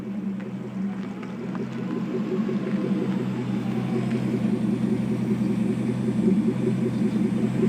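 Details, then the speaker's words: Porsche 928S reversing while warmed up: steady, even engine rumble with no knocks, whine or grinding, normal; the loud ugly reverse noise appears only when cold and was later blamed on a failing transmission. "As you can see, everything works and sounds perfectly normal."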